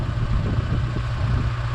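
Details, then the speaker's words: Holden Barina ML engine, not run for a while, after distributor inspection: idle keeps stumbling and surging rather than settling, ragged after revving; cause not yet found, crankcase ventilation being checked. "it runs quite ragged. So I just want to pin what that is, and also what caused that backfire."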